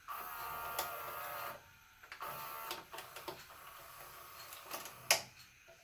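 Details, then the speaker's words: JVC HR-S3500U Super-VHS VCR, bought in 1998 and about 25 years old, after the old grease was cleaned off and fresh grease applied: a short whirr, then soft clicks and light clunks as the tape threads. Quiet, normal tape loading. "now that it's in this position I can just put just a little bit right there does sound quiet I have to go back and compare them"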